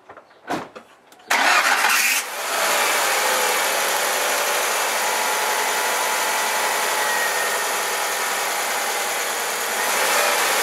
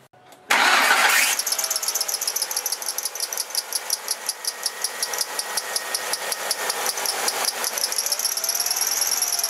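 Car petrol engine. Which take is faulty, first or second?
second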